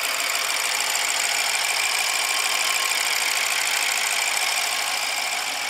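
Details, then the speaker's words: 2014 BMW 650 with N63 engine, first start after the failed timing repair with two new injectors, on a jump box: an even, steady idle with only a light fine ticking from the top end, no weird noises, knocks or rattles; normal idle. "so there we go okay on sounds good starts to run brought back to life no weird noises"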